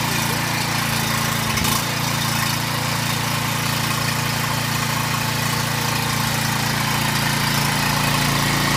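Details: Generator small engine that wouldn't start after sitting, after new carburetor and fresh fuel, on choke: single-cylinder catches and settles into a steady, even run with no misses or surging; healthy.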